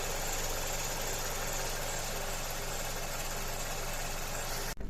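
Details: Mazda CX-7 2.3 engine at idle, steady speed but uneven, lumpy pulse with occasional stumbles; misfires on two cylinders despite replaced engine, software and injectors; injector signal testing suggests a faulty injector.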